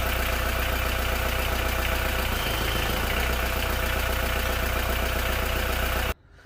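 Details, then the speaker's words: VW T4 van diesel engine after new engine install and slight fuel pump adjustment: steady even idle clatter about three beats a second, no misses or knocks; normal idle. "so as you see that's now started up I did have to adjust it ever so slightly the fuel pump because it was ever so slightly out but happy happy"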